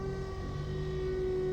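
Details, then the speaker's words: Toyota Corolla Altis single radiator/AC condenser fan with worn motor bushings: engine normal until the AC is switched on, then a loud steady drone with a sharp jet-like whine from the fan. "Ini suaranya kencang banget. Coba kita lihat ke ruang mesin. Apa yang terjadi? Waduh, kayak mesin jet nih. Suaranya kencang banget."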